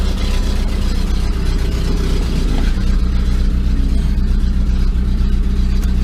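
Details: 2002 VW Gol after starter motor rebuild and injection harness connector repair: engine catches straight away and settles into a steady, even idle with a low smooth rumble and no knocks; temperature OK, fuel somewhat low.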